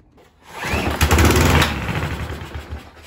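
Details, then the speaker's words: Homelite HL454HP mower, Mountfield V35 150cc engine, with carb cleaner sprayed into the carburetor. It catches and runs ragged for seconds, then dies when the spray runs out. This rules out ignition: the carburetor is blocked and gets removed for cleaning. "right so because we got it to run on a little bit of carburetor cleaner that tells me that the carburetor is blocked up it wouldn't run at all if it was an ignition problem and then it died as soon as it run out of carb spray"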